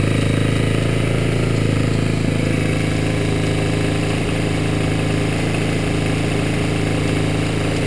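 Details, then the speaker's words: Kawasaki Ninja 250R on cold start with choke closed after winter storage: light, fairly regular tick about four per second over the steady putter, sometimes like a quick scrape, seemingly only when cold; top-end area tick, cause not yet found. "I don't know if you can hear that right now, but there is a ticking sound, which is coming from this area."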